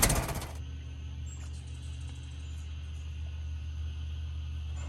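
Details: 1916 Federal Motors truck, 107-year-old four-cylinder that was seized and sat 50+ years, bottle-fed fuel, rusty radiator being filled with water; brief clatter at startup, then low steady even rumble, no misses or knocks: normal idle.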